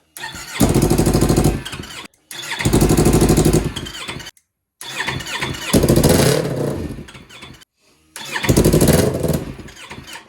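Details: 2015 Yamaha R3 engine in a shifter kart build: four long cranking bursts at about three beats a second, never catching; slow crank, no start; owners suspect a weak battery, with wiring and fuel checked.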